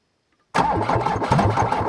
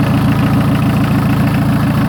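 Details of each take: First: 1981 VW diesel truck, first start in a year on a ten-year-old battery, glow plugs cycled, in neutral: rhythmic cranking without firing because the fuel shut-off solenoid isn't powered. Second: 1981 VW Rabbit diesel truck, rebuilt bottom end with oversized pistons and rings, first start in a year: loud, even idle chug at about three and a half firing pulses a second, steady and unbroken; healthy idle.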